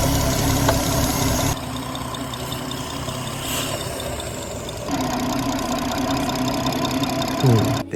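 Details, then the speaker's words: BMW 440i B58 Gen 1 idling, after replacing PCV diaphragm and valve cover: strong steady hiss at the oil filler, much louder than before, showing real crankcase vacuum and a healthy PCV, no leaks. "hissing sound is a good indication being able to tell whether your PCB is good or bad. Before we changed the PCV, [music] the hissing was much quieter as compared to now when we changed the PCV. That means there's a real vacuum and there's real suction happening in that crank [music] case."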